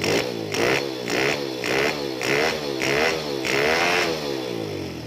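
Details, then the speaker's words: Honda Wave 100 dirt-bike conversion with a carburettor, after opening the idle air screw: repeated short revs, about two per second, pick up cleanly and drop back without stumbling or stalling; revs better than before, music in background. "อ่าเมื่อเราได้แบบนี้แล้วนะครับเราลองเร่งดูใหม่เอ๊ะเร่งดีกว่าเดิม"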